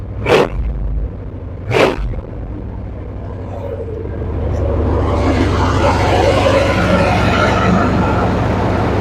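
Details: Square body Suburban big-block V8 after accessory belt replacement, sat about two weeks: cranks twice, catches, settles into deep steady rumble, no belt squeal or chirp; healthy.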